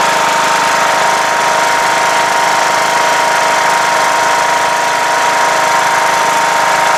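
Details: Rebuilt 17.5 HP Briggs OHV engine in a Craftsman LTS1500 lawn tractor. It drones fast and busy with no throttle input, well above a normal idle; idle is set too high and the throttle sticks.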